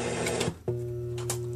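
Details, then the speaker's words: AM (Part 15) transmitter/receiver setup run from a 2 A hard-drive power supply: a sharp click, then a steady low mains hum. The hum comes from RF getting into the mains supply, not from insufficient supply current. "it still gives a lot of hum too so that the hum isn't caused by whether the power supply is meaty enough or not it's caused by rf getting into the main supply"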